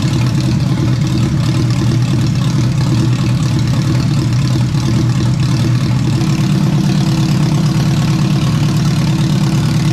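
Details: Rebuilt engine in a turbo AWD wagon after a restart holds a deep, steady idle with a smooth beat and no knocks or ticks, sounding better than the previous engine; normal idle.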